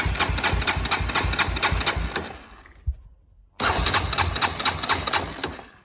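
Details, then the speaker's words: Honda 400EX quad that died on the trail: two bursts of rapid cranking, about two turns a second, no firing; cranks but won't start, no spark found, owner suspects a connection unplugged or grounded out from rough bumps. "It doesn't have spark. So I'm gonna have to look into that."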